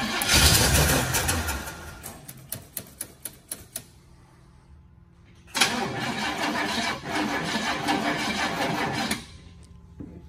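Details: 1968 Chevrolet Impala convertible, long stored outside, choked with a little fuel spritzed into the carb and a possibly stuck float; quick even starter ticks fade, then a rough burst that dies; crank no-start, cause not confirmed.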